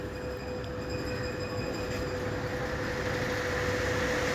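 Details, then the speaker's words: Homemade-repaired stand fan running after a household fan dimmer was fitted as its speed control: steady whoosh of air with faint even motor hum, the previous loud noise now gone and speed control working; normal quiet operation. "अब इसकी आवाज भी band हो गई इसकी और इसकी speed check करें"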